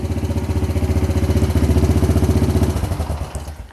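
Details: 1998 Honda Foreman 450 ATV after voltage regulator replacement: single-cylinder thump picks up smoothly when revved and settles back evenly; charging voltage about 13.8 V running, up to 14 V when revved; running healthy.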